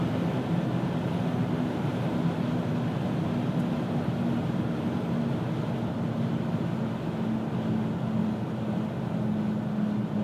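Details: 2000 Pontiac Grand Am GT cruising, worst from about 35–40 mph: a steady low hum over road rumble, felt under the feet. Hub bearings (twice), driver CV joint, pads, rotors and calipers replaced and tires rotated; source still unknown.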